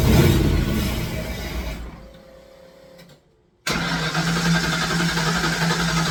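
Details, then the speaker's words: Fox Body Mustang after long sitting, more fuel added, Berryman in throttle: starter churns about four turns a second with no firing, then stops; injector signal and spark confirmed, only fires on supplied fuel. "all right my next plan I've tried everything even shot a little Berryman into the uh throttle nothing so I'm not getting anything any kind of bark outside of the fuel that I'm providing"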